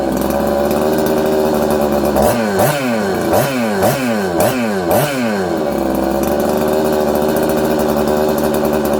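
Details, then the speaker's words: Husqvarna 266XP chainsaw, air leak behind flywheel already fixed and pressure/vacuum test passed: revs around 4000–5000 rpm then hunt up and down, loading up with fuel; too lean on throttle, overfuelling, surging from faulty carburetor. "um it's all over the place it sounds good it's crisp but then it's not uh it's loading up with fuel like it has an air leak okay"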